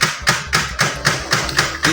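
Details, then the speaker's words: Brand-new HP LaserJet Enterprise M612 at power-on and printing: sharp, evenly spaced cracking knocks, nearly four a second, persisting with paper tray removed; caused by an internal gear not firmly fixed, fixed by adjusting gear assembly. "This is a knocking sound. It's a cracking sound for a new printer, just open from the package. So when you power on the printer, it gives this sound."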